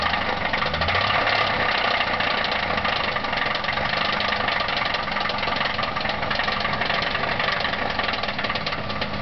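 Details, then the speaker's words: Ford Thunderbird with a bad 3.8 V6 idling after start: a fast, uneven knock tapping through the engine note, rod knock. "This is the Thunderbird with the rod knock."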